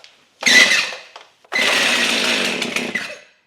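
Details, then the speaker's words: Stihl MS 271 chainsaw that won't start and was hard to pull: two cord pulls give a harsh high scraping squeal fading as the rope slows, never firing; squeal when pull-starting, clutch suspected, not confirmed. "It's making a squealing noise. So, that squealing noise has got to be the clutch."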